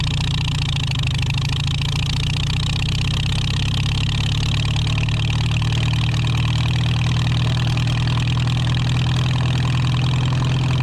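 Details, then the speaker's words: 1949 Farmall H tractor, first run after sitting for years: deep, steady low rumble with an even loping beat and no knocks or misses, sounding more loaded but smoother; normal idle, with a leak noted. "It sounds like it's loaded more, but it's smoother."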